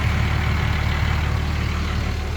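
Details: 2006 Dodge Ram 2500 5.9L Cummins diesel with a power-loss complaint, after replacing the fuel injectors, rail and lines and adjusting valve lash, almost at operating temperature. Even, steady low chug with no misfire or knock; normal idle.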